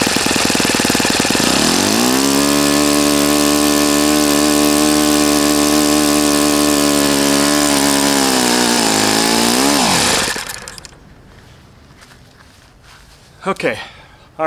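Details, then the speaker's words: Customer's Saito FA-40a four-stroke glow engine on 11x6 Master Airscrew prop, Omega 10% fuel, new glow washer, valves set, high-speed needle opened 2.5 turns: high steady buzz, smooth throttle change before shutdown, no misfire or sputter; normal healthy running. "right so rush you can see your inch and it's fine it's healthy it runs properly it's a nice engine"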